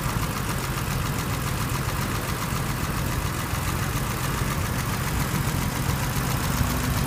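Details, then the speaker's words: 1983 BMW 635CSI manual, original straight-six idling under the bonnet: deep, even idle with a steady low burble, no hunting or misses; ticking over cleanly. "just a quick video to um show the engine on the 1983 635 CSI so you can hear it running and have a look at the temperature gauge and have a listen to it"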